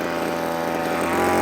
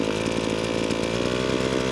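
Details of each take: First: Two-stroke line trimmer on a new cheap replacement carburetor, nylon line cut back, just started: fast, steady buzz with no drop-off, idling too high; idle screw to be backed off once warmed up. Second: Line trimmer two-stroke after fitting a cheap Amazon replacement carburetor, off choke: revs up clean and holds a steady buzzing high note without surging or stumbling; running properly, better than before.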